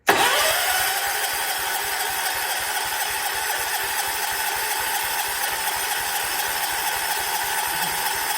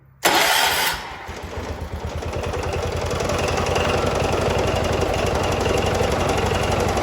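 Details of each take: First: 1979 John Deere 214 tractor, sat for months: even steady cranking about three and a half turns a second, never fires; the fuel pump must move fuel from the tank to the carb, and spark was later confirmed present, so fuel isn't reaching the carburettor. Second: 1979 John Deere 214 tractor, restarted next morning after parts were put back on following months of sitting: catches right away and settles into an even, steady single-cylinder putter with no misfires; healthy start and idle.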